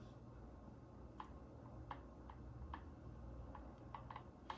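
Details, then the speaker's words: Arrma Limitless 1/7 RC car, motor gear mesh check: rocking the center driveshaft (spool, no center diff) gives light irregular ticks, healthy backlash heard before tightening the motor down, normal gear backlash clicking. "make sure you can still hear that clicking back and forth you're going to want to tighten it down"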